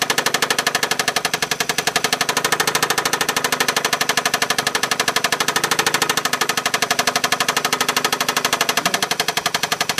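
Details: 2004 Honda Accord V6 6-speed manual at idle: sharp, fast, steady knock over an uneven, struggling idle; hard to start, stalls without throttle, no check engine light; cause unknown.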